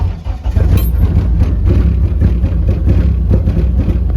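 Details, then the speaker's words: Eagle Talon engine on a DIYAutoTune MegaSquirt ECU: it runs, but lumpy and uneven with irregular stumbles and misfires. The crank signal is still desyncing badly. "Just desyncing like crazy. It's running. Well, it does It doesn't run well at all. It still desyncs the same, but it runs."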